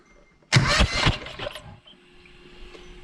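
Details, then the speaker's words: John Deere 445 cranked with a spark plug out: brief wet sputtering hiss, then silence, with raw fuel spraying from the plug hole. The cylinder is flooded, likely a fuel problem; oil was seen boiling in the plug opening. "um well i wet the camera so that's just straight fuel coming out of there so it's probably a fuel problem"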